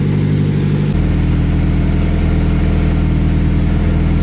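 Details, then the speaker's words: Acura Integra petrol engine idling after track-event damage repairs: low, slightly uneven puffing rumble from an exhaust leak at the flex pipe. "That seems about right. I got a little exhaust leak. I think I gotta get it fixed here."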